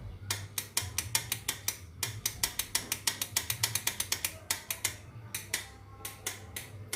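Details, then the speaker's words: Motorcycle electric starter with strong battery voltage: rapid sharp clicks, three to four a second, only the starter bendix clicking with no cranking; starter motor won't turn due to worn-out starter brushes, replaced. "ini voltasenya kuat tapi kalau di stater itu cuma bunyi cecak oke punya cat extech seperti itu ya itu hanyalah bunyi bendik stater tapi staternya tidak mau berputar"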